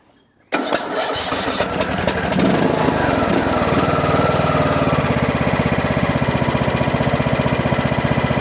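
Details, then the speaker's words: John Deere D110 mower before ignition coil replacement, started on choke, possibly old gas; cranks briefly, catches and settles into steady even single-cylinder chug with no misses or knocks: normal start and idle. "seems to run pretty good. Gas smells a little funky. It might be old gas. Idle's fine. Sounds good."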